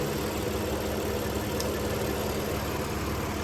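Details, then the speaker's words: 2015 BMW M4 F83 convertible, S55 engine, at idle: steady low howl from a ruptured diaphragm in the crankcase vent valve inside the valve cover. Cracking the oil cap may stop it briefly. Fix is replacing the valve cover assembly. "that noise is the uh crank case vent valve that's under valve cover under here so what it is is a diaphragm is in there and it's ruptured and it's causing that noise"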